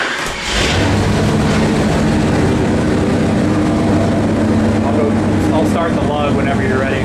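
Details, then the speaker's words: 451 stroker Mopar big block (1976 400 block) for 1973 Dodge Charger, Edelbrock Performer RPM aluminum heads, self-learning Sniper EFI cleaning up lean spots, on dyno making more power; deep steady full-load roar, no knocks or misses; normal full-throttle run. "Man, that sounds good. Nothing against the modern cars. I love me some Coyotes, some Hellcats, LS's. I do. But there's something visceral that gets down in your soul about how the old stuff sounds."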